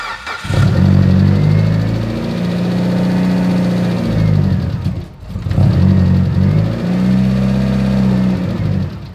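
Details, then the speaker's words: Rebuilt Mitsubishi Evo on its first start of break-in, with a brand-new engine, 30-weight break-in oil and water in the radiator: the engine catches into a lumpy idle, then sags nearly to a stall before recovering. It won't stay running and the check engine light came on. "car's not really wanting to stay running right now and it did just to really check engine light"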